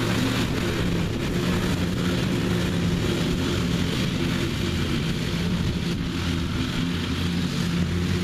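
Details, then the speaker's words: Revived neglected riding mower with new belt fitted, mowing the backyard: even, steady drone holding speed under cutting load, no surging, knocking or rattles; running good and mowing evenly. "I reckon if I get a year out of this thing then that'll be worth it but it seems to be running good and mowing good it mows evenly"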